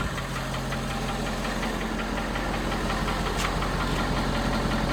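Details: 2017 Ford F250 Power Stroke diesel on a cold start: a low steady drone with a faint repeated knock about three times a second, a knock said to subside once the truck warms up; cause not yet traced.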